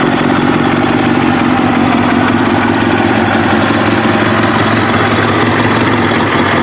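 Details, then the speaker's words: Kawasaki ZX7R race bike, FCR41 flatslide carbs synced, fuel screws leaned from 2 to 1 turn out, warmed up: steady four-cylinder idle, faint slow hunting about 1250–1500 RPM; acceptable. "I mean, it hunts a little bit. It fluctuates from 13 to, I should say, about 1250 to about 1500 RPM. I don't really mind that so much, but that's acceptable."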